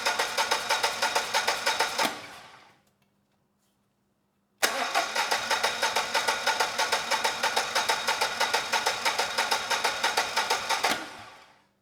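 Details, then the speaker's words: Generac XG10000E generator, about 10 years old with only 12 minutes of run time; fuel was left in the carburetor. After reconnecting a plug, two tries of steady cranking never catch because the carburetor still isn't delivering fuel. "that is not the only issue the carburetor is still not delivering fuel"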